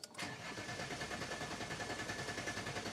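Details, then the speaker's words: Diesel after fuel filter change, pump heard refilling the large filter, car previously in limp mode: brief click then starter churning about three beats a second, engine slow to catch before finally starting. "Right, I can hear the fuel pump working, so that's refilling that huge filter."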